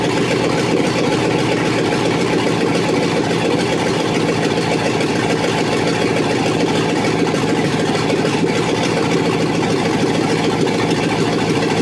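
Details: Chevrolet SS TrailBlazer 6.0 LS2 first start after fresh rebuild (new crank, main, rod and cam bearings, Trick Flow cam, new gaskets and seals), manifolds not yet connected to exhaust: loud raw open-header V8 idle, steady lopey beat, no knocks or ticks; normal idle.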